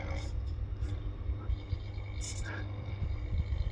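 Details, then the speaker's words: Running ceiling fan makes a steady low buzzing drone after switching from glass fluorescent to plastic LED bulbs; the bulbs' changed mass shifts the resonant frequency, so they vibrate in resonance with normal fan vibration. Owner had suspected the wiring/speed module. "it reaches resonance if that makes it worse it reaches resonance if the bulb is not of the proper tension so if you're having ceiling fan issues with making noise as bizarre as it sounds uh these new plastic LED bulbs change the the mass of the system and therefore the resonant frequency"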